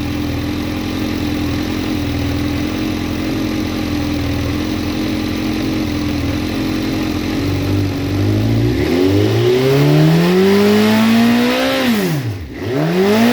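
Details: Suzuki Bandit motorcycle with high-flow fuel pump, inline fuel pressure gauge fitted, pressure never dipping: even, steady idle then clean throttle blips climbing and falling smoothly with no stumble; healthy engine, no fuel starvation.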